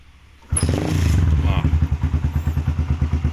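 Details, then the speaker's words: 2010 single-cylinder, twin-spark carbureted sport motorcycle: fires on the first kick and settles into a steady, even thumping idle about three beats a second, no knocks or stumbles; healthy. "dia langsung hidup satu kali engkol dan dengarkan saja suaranya bagus sekali untuk suara mesinnya dengarkan sangat bulat sekali"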